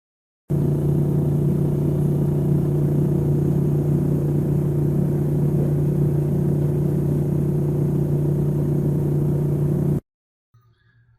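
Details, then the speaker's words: LG refrigerator vibrating and rattling: steady low drone with coarse even buzz, caused by the unit not properly set on the floor or resting against a wall; level the unit. "for this type of noise I would look for the unit not being properly set on the floor resting against a wall or a back"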